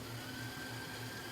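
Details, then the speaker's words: Yamaha K-1020 cassette deck, chassis reinstalled after motor repair, winding forward and in reverse: faint, even whir with a steady high note and plenty of torque, no slipping; normal wind and rewind, though the idler later slips on play. "We'll try winding and rewinding the tape. Okay, got lots of torque. It's going like crazy forward. Let's go into reverse."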